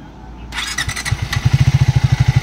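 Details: Triumph Speed 400, about 7000 km, after second service that addressed a noise: engine catches and settles into an even steady thump around ten beats a second with no valve tick; healthy single idling.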